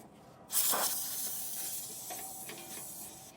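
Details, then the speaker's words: TireMinder A1AS TPMS sensor threaded onto left front valve stem of a 2014 Thor Hurricane motorhome: sharp hiss of escaping air fading over about three seconds as it seals; stops, monitor beeps, sensor reading pressure normally. "So you'll hear some air release as you're tightening it down. Once the air release sound stops and you hear a beep on your monitor, that means the sensor is working right and it's reading the pressure."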